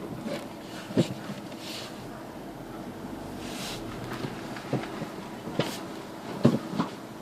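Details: Renault Megane Mk2: several sharp, separate chassis clunks about a second apart when braking while reversing; source unknown.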